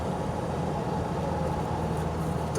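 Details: 1986 Ford Mustang SVO turbo with T5 5-speed, set in unleaded mode, on a test drive: steady traffic hum, then a short clean horn toot near the end with a firm, steady pitch; the horn works normally.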